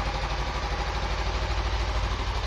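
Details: Suzuki Inazuma 250 motorcycle, owned since 2016, stock except for the mirrors. It starts only with the front brake or clutch pulled in. Steady, even idle with a soft regular pulse and no knocks or misses: healthy.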